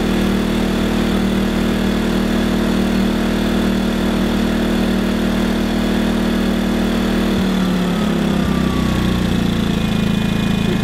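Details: New WEN 2000-watt inverter generator running after unboxing. It gives a steady, even hum at a constant tone with no misses, surges or knocks. It is running smoothly and healthy.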